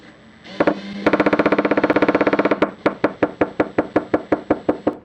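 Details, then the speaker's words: New Makita DHP481Z/XPH07 combi drill in drill mode: sharp, rapid knocking while drilling, then individual knocks slowing as the chuck winds down; hammer action not disengaging in drill or driver mode, believed a factory fault, unit exchanged. "you're not actually supposed to hear that because it's not in hammer mode"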